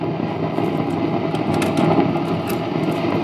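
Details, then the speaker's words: Peavey XR684 PA head during service, left monitor-side channel with no signal: steady low rushing hiss; source unknown. "okay so that's got a little bit of noise you can hear I don't know how that's coming on there but there's definitely some hiss going on there"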